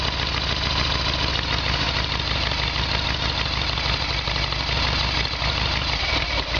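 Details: Harley-Davidson Evolution Sportster with carburetor, running on reserve fuel tap: steady lumpy V-twin idle without stumbling; normal idle, earlier backfiring caused by faulty petcock blocking fuel.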